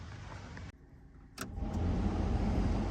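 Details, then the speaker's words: 1992 Ford F150 Flareside heater blower after replacing worn, noisy blower motor: brief click and pause, then fan spins up to steady even rush of air, no scraping or rubbing, no noise at shutoff; blows better, normal operation after repair. "Oh yeah, and it blows a lot better now. Yep, it doesn't make that noise when it turns off anymore, so that definitely fixed our problem."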